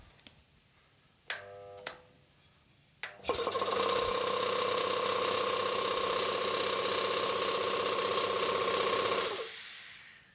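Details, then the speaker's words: Air compressor bought at auction, pump not seized, motor won't self-start with compressor attached; after hand spinning the flywheel it catches, fast even chuff about four a second over hissing whine, making air with fittings off. "Next thing, it still won't run with the compressor attached."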